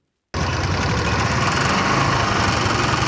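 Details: TVS Wego scooter: rough idle with uneven clattering rattle about three to four knocks a second; engine needs opening, abnormal engine noise.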